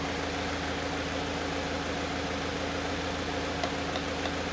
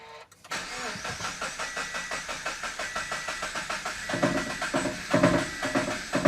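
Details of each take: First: Salvage-auction Subaru BRZ, first run after saving the engine, check engine light on, low on coolant with temperature gauge pegged: steady, even idle with a smooth low hum and no knocks, misses or squeals. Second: Salvage Subaru BRZ that had run once before: starter cranks at a steady four beats a second for about ten seconds but the engine never catches; check engine light on, fuel present, owner suspects something left unplugged.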